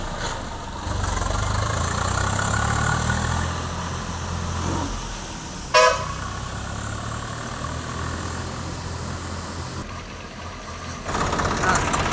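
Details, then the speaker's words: Swaraj 744 FE tractor after gearbox repair with new parts for an all-gears noise: pulls away and runs evenly with no whine or grinding, a horn toot nearby; all gears road-tested quiet. "బాగుందా ఆ బాగుంది అన్ని గేర్లు check చేసినావా ఏం sound ఏం లేదు right"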